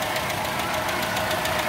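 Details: Toyota Kijang 5K petrol engine at idle: quick, even, light metallic ticking over the steady idle, one tap per cycle; valve tappet noise from loose clearance, and the valves need adjusting.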